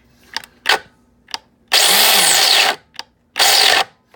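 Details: Mr. Coffee grinder about six months old, grinding an extra-large batch; hopper removed and checked for stuck beans, setting moved all the way left. Motor whirs in short bursts of about a second, then cuts out and goes quiet, stalling mid-grind; cause unclear.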